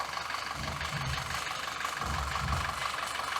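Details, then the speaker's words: 2014 Audi Q5 2.0 TFSI petrol at idle, uneven, surging and stumbling, with codes P0506 and P0300–P0304. Carbon cleaning and injector cleaning didn't help; smoke testing found a vacuum leak at the rear main seal, which was replaced. "We have done a lot of testing and we have come to a conclusion that the rear main seal is letting the air in, additional air in."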